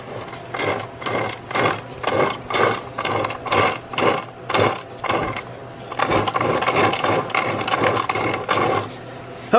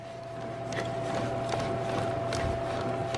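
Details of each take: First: Removed manual transmission whose 5th gear pops out, shaft turned by hand: rough, gritty ratcheting grind rising and falling about once a second, with more play than the quiet replacement unit: worn input shaft bearing. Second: Replacement manual transmission turned by hand out of the car: quiet with faint soft ticks, less play, unlike the removed noisy gearbox with a failed input shaft bearing and 5th gear popping out.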